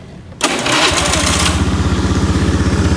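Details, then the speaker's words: 2014 Honda Beat FI scooter, starting: harsh rasping burst as it catches, then pulsing, slightly uneven idle; rough start, with rumbling from the CVT when moving, suspected worn CVT case bearing. "Ini motor Beat FI ya, Beat FI keluaran 2014, starter kasar. Untuk keluarnya itu bunyi gemuruh di bagian CVT."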